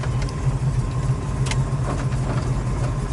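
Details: 1972 Chevrolet El Camino with what appears to be a big-block GM crate motor marked 454, just started, about 150 degrees, almost 60 psi oil pressure, 14 V charging: deep even V8 idle, steady low rumble, no knocks or misses; healthy.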